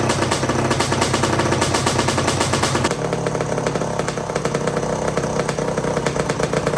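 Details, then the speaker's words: 1982 Suzuki RM125 two-stroke during restoration, after suspected carburetor starvation and a part swap: sharp, rapid crackling buzz at steady revs, no misses; firing and running properly, sounds nice. "right yeah that sounds nice yeah like"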